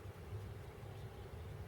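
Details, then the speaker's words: 1940 Buick straight-eight after valve job, fluids changed and lubed, good rings on leak-down test, idle cam stuck so idle ran high at first; very quiet, even low hum with no knocks or misses, smooth healthy idle. "got the car all fixed up everything's running great now lubed up everything changed all the fluids you probably can't hear it now but the engine is running listen"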